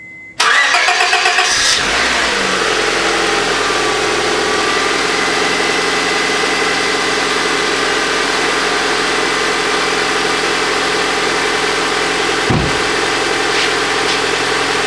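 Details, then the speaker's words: 2005 Honda Civic 1.7L SOHC after timing belt, tensioner and water pump replacement, at operating temperature with fans cycling: smooth even idle, no belt chirp or squeal; tension correct. "Okay, it's been a good couple minutes since the engine reached operating temperature and our cooling fans came on and off. They switched on and off and everything is looking fine, looking good. We got no belt noises, so we got our tension on there right too"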